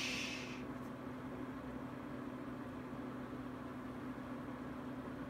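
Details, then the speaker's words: Venta Airwasher LW35, about three months old, after fixing a clicking/rattling noise by turning the gear around and properly attaching the coupling: only a soft, steady low hum with no clicking; runs quiet and even. "¡No más clics! Es agradable y tranquilo."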